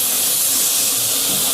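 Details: Heat pump during refrigerant charging: steady sharp rhythmless hiss like jetting gas while the fitting is tightened and the hose freezes. Refrigerant is leaking at the charging hose.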